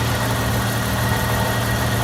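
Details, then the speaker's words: 1998 Jeep Wrangler TJ with restored AC system, newly charged, engine idling, compressor engaged: even idle hum with faint steady compressor tone, no squeal or knock; normal compressor operation, pressures good, vents blowing cool. "I've got the system up. All the sensors are in. The compressor is turning."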